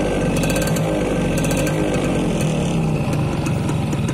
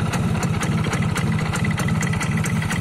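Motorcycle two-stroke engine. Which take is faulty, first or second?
second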